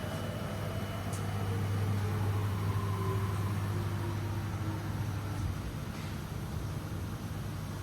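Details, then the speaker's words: Older Haas VF1 CNC mill with gearbox issue, single-axis zero return of Y axis; even hum with smoothly gliding motor tones, no grinding or clunks; homes out nicely with no errors. "That homes out nice, no errors."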